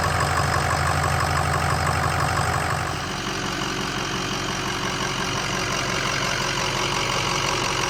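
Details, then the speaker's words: 2005 Ford F250 6.0 Powerstroke diesel after repair of a front-end vibration traced to water pump bearing play: steady, even diesel clatter at idle with no shake or throb, no more vibration; normal idle. "do you hear that it's The Sound of [Music] Silence no more vibration"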